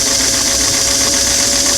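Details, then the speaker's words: Singer sewing machine motor run on a restored clam-shell foot pedal after adjustment, tested at slow, medium and fast; steady even high-pitched motor hum with no surging or stutter; smooth speed control. "faster pull out right there I'm starting to hear the motor hum go slow medium"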